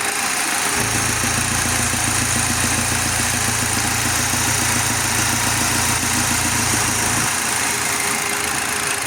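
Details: 2023 Audi Q5 2.0 TFSI (DPU) petrol engine at 15,000 km, idling: the low hum shifts in pitch and steadiness when the oil filler cap is opened, from a failed PCV valve giving incorrect crankcase pressure and oil leaks.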